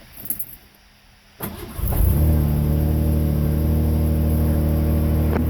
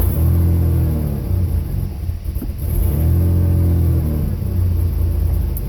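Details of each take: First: 1988 Ford Ranger 2.9 with a long-running rough, surging idle, after replacing the MAP sensor: it cranks briefly, then catches and settles into an even, steady idle with no hunting or surging. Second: 1988 Ford Ranger 2.9 idling with the old MAP sensor before replacement: low rumble swells and sags about every 2.5 seconds, rough surging idle worsening over years; fixed by new MAP sensor.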